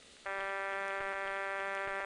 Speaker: I don't know why it does this but most of the register senders in aqua Kuan whenever they're waiting for a flash from an outgoing trunk that is MF out we do hear this tone in the background